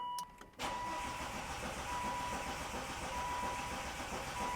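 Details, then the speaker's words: Volvo V70R after engine reinstall and automatic-to-manual swap, first start attempt: starter churns steadily and unevenly, never fires, with crank sensor and injectors unplugged to prime oil to turbo; six dash warning lights shown. "but it does crank and to be fair I think a couple of those might be caused by the fact that I unplugged the crank sensor"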